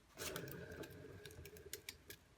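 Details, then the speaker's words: Kids' balance bike rear hub after bearing repair: quiet, even free spin with only faint light ticking, no crunch like before; normal wheel bearing spin. "no crunching not like before"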